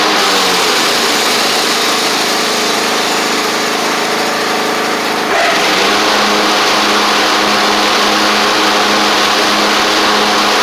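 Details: Craftsman riding mower, back together after a broken deck spindle and a bad-ground starter click were fixed (the blade-engage cable is slightly damaged but working): an even single-cylinder beat settling smoothly as it drives off, no misses or knocks, so normal running.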